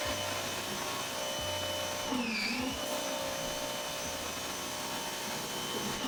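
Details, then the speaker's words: Active 2.0 electric pressure washer, heard alone with the machine sitting in a corner, spraying water: loud steady high-pitched motor whine with one brief dip under load; normal running. "so I'm going to remove my mic here leave it there let sprad the water at the back so you can hear the Machine by itself"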